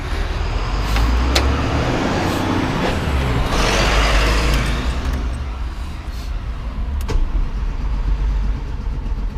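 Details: Series 1 RS Turbo started right after injector replacement: deep engine rumble surging and sagging unevenly instead of settling to a steady idle; engine still running rough.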